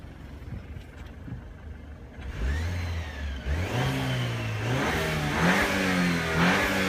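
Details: Engine blipped a few times, a thin whistle rising and falling with revs over the exhaust note; turbo whistle suspected, not confirmed.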